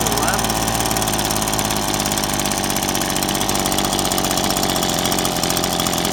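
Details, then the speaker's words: Two-stroke engine after turning the idle screw down: buzzy idle slows to a lazy, uneven putter near stalling; idle speed set too low, needs turning back up slightly. "And you can hear it starting to run a lot slower. Now, yeah, you don't want to run it too slow because otherwise it will stall out."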